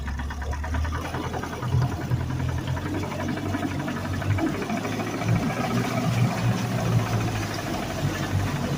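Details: 2019 Mercury 150 hp FourStroke outboard with 680 hours idling: steady low rumble with a fast, regular knock ticking over it.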